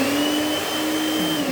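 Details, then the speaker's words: Vasa multiprocessor food machine on its first-speed button (one line), demonstrated so its sound can be told apart from speed two: steady high motor whine at constant pitch, even and smooth; normal running at low speed. "Membedakan seperti ini. Ibu sendiri yang dengar. Ini tombol yang garis satu bu."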